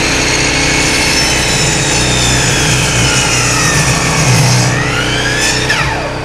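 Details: Coleman Powermate 1850 generator, owned about 9–10 years, under real load driving a skill saw cutting wood: loud saw whine over a steady generator drone that holds through the cut before both wind down; it handles the load, though its output is a raggedy sine wave.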